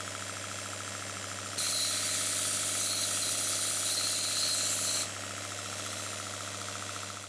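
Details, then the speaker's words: Stuart Double 10V model steam engine (two 3/4 in bore cylinders): exhaust pipe to condenser, 3/16 in copper, too small and restricting; when disconnected, loud open hiss and engine immediately speeds up, chuffing faster; running freely. "when i disconnect the pipe you can hear the difference the engine immediately speeds up"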